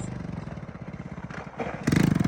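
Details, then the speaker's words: Honda ATC 110 three-wheeler with rebuilt carburettor, riding with choke on: small engine pops in uneven bursts, picks up briefly, then falters and stalls, needing a restart; more power than before but fuel delivery still needs tweaking. "it alive keep it alive no the chokes on that's why we have to do it again but with the choke wall ready"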